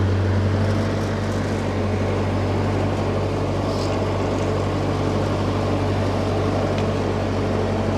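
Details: Old Ford 8N tractor (circa 1948–52), being driven, previously hard to start: deep, steady low drone with an even beat, no popping or cutting out; pulls cleanly under load.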